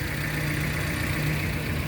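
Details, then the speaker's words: 2012 Suzuki APV Arena 1.5 GX manual, about 139,000 km, engine bay: even, steady four-cylinder idle with no knocks, ticks or misses; engine still sounds smooth and healthy. "nah ini mesin di bagian mesin suaranya juga masih halus"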